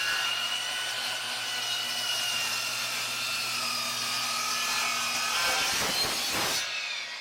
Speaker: The Dovaman made a straight cut in a 3-inch pine with no problem.